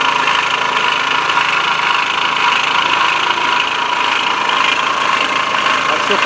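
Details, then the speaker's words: Bashan BWS 2 scooter bought new by its first owner, idling: loose, uneven tapping knock about twice a second over a buzzy exhaust; cause unknown, variator check planned, then engine teardown if not found. "вот и получается что когда заметил он что у скутера какой-то посторонний звук появился Сейчас заведу и покажу отчетливо слышно"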